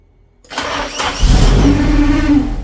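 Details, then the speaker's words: Turbocharged car started after months of sitting, following downpipe, wastegate and O2 sensor work: it cranks and catches into a rough, uneven idle with a scraping rub. The rub is heard when the distributor is moved; cause unknown. "it cranks but is a funny rub rubbing sound when I move the distributor um it runs on its own but whatever that sound is we got to get it figured out"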